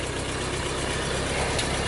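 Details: 1952 Ford 8N tractor, working condition, idling: steady, even low chug with no knocks or misses; engine sounds healthy, with brakes, PTO and hydraulics reported working.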